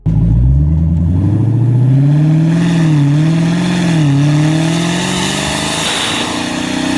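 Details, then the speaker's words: Dodge Demon 170 under hard acceleration: hollow, compressor-like tone rising and dipping with revs over the engine roar. An engineer called it normal intake noise, but a check engine light and ticking followed, and a second engineer found the entire exhaust system needs replacing. "So this engineer, loosely engineer, is gonna try to tell me that this right here is normal."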